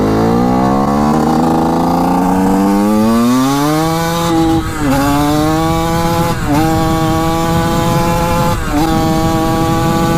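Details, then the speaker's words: Suzuki RM125 two-stroke dirt bike, 1979 or 1980, about 155 psi compression, first ride after 15 years: revs stumble and dip about every two seconds; suspected lean running, possibly a loose clamp, unconfirmed. "but it does sound like it's running a bit lean which is not good you can hear it kind of sputter starts right back up but"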